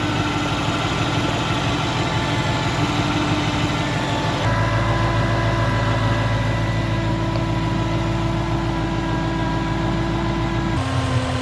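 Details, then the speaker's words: 2012 Ford Mustang GT 5.0L showing Check Charging System: steady even idle with a constant low hum and faint whine on top, no knock; belt, idler and tensioner pulleys look normal, owner suspects a failing alternator. "So that's the noise making. The bullets are working normal. It's not shaking or anything."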